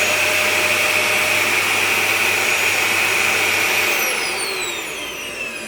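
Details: Dyson DC41 vacuum that screamed due to a dirty filter, after filter change: smooth, steady motor whir with no shriek, then winds down evenly after switch-off; running normally.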